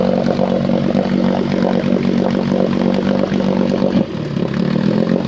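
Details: Small carbureted engine with the choke off and idle screw turned down: a low, uneven idle with sputtering and a brief misfire where the firing drops out.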